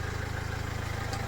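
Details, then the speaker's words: Dacia Sandero Stepway 2 1.5 dCi diesel (K9K), after cleaning the clogged in-tank fuel pump strainer: steady, even idle with a smooth low pulse and no whistle or whine, runs evenly after revving; repaired. "Двигатель работает ровно. Прогазовку я сделал."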